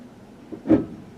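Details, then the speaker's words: 2003 Chevy Tahoe LT 4x4 during test drive, shifting into four-wheel-drive low: single short, solid clunk as transfer case clicks in, then vehicle takes right off without spinning; normal 4-low engagement. "all right you can hear it click in and same thing and we take whoa take right off"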